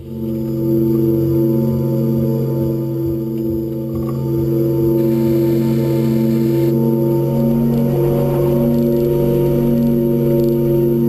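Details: Renault Zoe Q210 electric car at 63,000 km: steady humming tones hold at fixed pitches over a quiet background, a constant whine from the drive motor; cause unknown.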